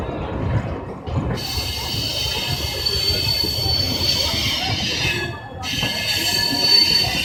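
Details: Vikramshila Express with LHB coaches departing Jamalpur Junction on first LHB run, 12 July 2017: high steady metallic screech over rumble of coaches pulling away, wheel-on-rail squeal at slow speed.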